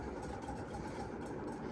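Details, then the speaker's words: Mistralaire MCFA48 1200 mm industrial ceiling fan running at about medium speed: a steady low drone with a rough, uneven hum underneath from badly worn bearings. It wobbles too much at higher speeds and is very noisy. "good thing nobody Sleeps in this room because bearings are horrible all right that's it's probably medium it's in one we use it on Lower lck because it wobbles like too much and it's really noisy as you can hear"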